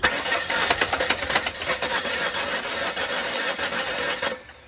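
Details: 1997 Ford Escort, customer car with a suspected blown engine and oil leaking: rhythmic starter cranking at about three and a half turns a second that never catches; cranks but won't start; compression read about 100 psi.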